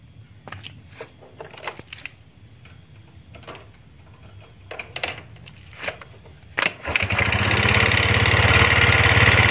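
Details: Yamaha Mio automatic scooter after repairing a dragging, stuck rear wheel: scattered clicks and rattles, then engine fires and settles into steady even running with no drag noises.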